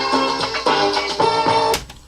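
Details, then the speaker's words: Panasonic RX-F33 double cassette radio after new belt service; music plays steadily with even pitch, no wavering or dragging, both decks working normally. "Okay, so that works. So basically what I'm trying to show is that both decks work."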